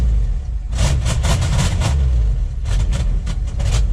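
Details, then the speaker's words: 1969 Ford F-250 Highboy, tired 360 V8, smoking a lot; deep rumble stumbling and lumpy at low idle, struggling to stay running; muffler suspected plugged. "There, it's kind of idling. Uh-oh. Found the problem. I think the muffler's plugged up."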